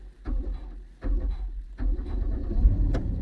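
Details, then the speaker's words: 2010 Dodge Grand Caravan 3.3 with intermittent no-start and non-charging alternator (replaced before), boosted: a few slow dragging starter turns about a second apart then it catches and runs; low battery. "So I'm going to record the voltage and the engine speed while cranking."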